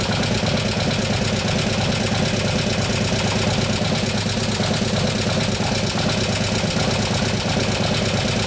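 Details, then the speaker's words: 2015 Harley-Davidson Road Glide FLH, 103ci Twin Cam, after camshaft install and new oil pump: loping V-twin idle with quick rapid ticking on top; lifters still not pumped up, taking unusually long to pump up. "after that sometimes they take a while to pump up but this is getting ridiculous on timeframe"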